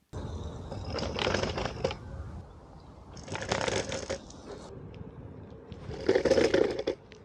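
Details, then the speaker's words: AOVO OOK-TEK V8 electric scooter with non-inflatable tires on cobblestones, after tightening the folding mechanism: waves of loose clattering rattle persist; something inside is loose, owner says not the controller or battery. "still a disaster I feel bad well as you can hear it didn't solve all the problems there is something rattling inside I know it's not a controller not a battery"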